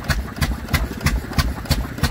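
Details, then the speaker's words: Stationary engine driving a 3-inch centrifugal pump, one of only 540 made: slow even firing about three beats a second with a low thump, pumping water cleanly; normal healthy running. "That's what you call an engine. That sounds absolutely fantastic."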